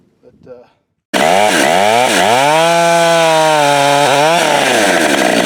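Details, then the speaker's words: Husqvarna 572 build (562 with popup piston, no base gasket, muffler mod, torque-oriented tune, ~182 psi, breaking in) cutting firewood with 28-inch bar, 8-pin sprocket, new safety chain: screams then pitch sags low; lugging, sprocket too tall. "and number two that this saw really can't pull a 28 inch bar with an eight pin sprock"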